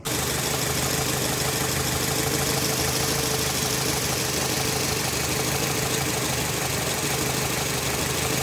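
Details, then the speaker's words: Nissan Latio (Grand Livina engine) after repair of a misfiring engine by replacing the ignition coil: engine settles into a steady, even idle with no stumble or skipped beats; normal, stable idle. "video saya kali ini mobilnya sudah kembali normal dan stabil Ya hanya ganti kuil saja"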